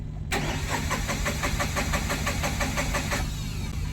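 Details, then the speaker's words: Tata Ace Gold BS6 diesel: steady starter cranking at about three compressions a second, never catching; cranks but won't start, traced to low fuel pump pressure. "Start नहीं हो रहा है। फिर से एक बार कोशिश करेंगे। तो ये स्टार्ट नहीं हो रहा है फ्रेंड्स।"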